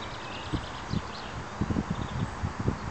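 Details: Kawasaki KX85 two-stroke with a damaged piston worn too small for the barrel; sharp, uneven metallic knocks several times a second, piston slap.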